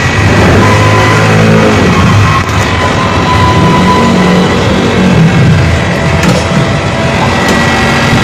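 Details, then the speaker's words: Haier inverter split-type aircon outdoor unit, before the fix: loud low droning rumble with an uneven buzzing vibration on top; compressor is noisy and shaking because the back-to-back copper tubing was shorter than the 3-meter minimum. "Ang pagkakaiba po ng short cycle na copper tubing, kapag short cycle ho talaga, maingay ho talaga ang ating compressor,"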